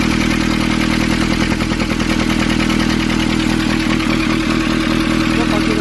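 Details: Nissan Urvan ZD30 diesel, after a no-start repair in which a soot-clogged part was cleaned and refitted: steady, even clatter at a settled idle, no misses or hunting; running cleanly and healthy.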